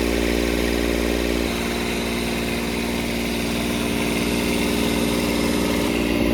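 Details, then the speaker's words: Kubota D722 diesel in a Carrier Supra 850 freezer unit, revived after sitting for years, warming up with coolant around 174–180: steady hard diesel clatter with raw, loud intake roar because the air intake is removed. "I do have the intake off, that's why. This should quiet down a lot once I push it under there."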